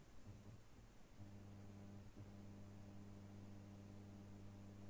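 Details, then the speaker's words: Genius 5.1 home theater system: constant low hum through the speakers judged by its frequency to come from the PCB's supply; noise stops when a filter capacitor is touched, a cracked solder joint; resoldering cures it. "the problem seems to be from this pcb but because from the frequency of this sound i think that the problem is from the supply of this pcb"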